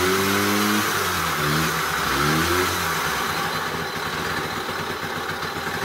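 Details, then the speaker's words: Old Honda Express moped, just revived and started on the first or second crank: revs rise and fall, then a rough, uneven clatter under the exhaust, like a metal coffee can full of bearings; loose internal rattle, worn bearings possible. "it sounds like a coffee can a metal coffee can full of borrowed bearings"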